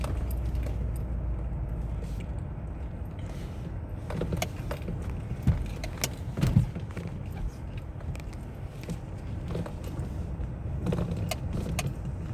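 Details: 2005 Citroen C5 steering rack knock: occasional dull clunks punching through the low engine rumble, a loose knock from the steering rack.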